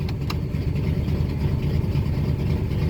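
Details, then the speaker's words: 2000 Ford F-150 with an aftermarket intake that had been stalling; after cleaning the air filter, MAF, throttle body, plenum, EGR and idle air control, it idles even rougher. Low, uneven chugging, shaking and near stalling, with the battery light on. "you hear that my battery's on battery lights on I can feel it shaking it sounds like it's gonna die it's chugging chugging it's chugging"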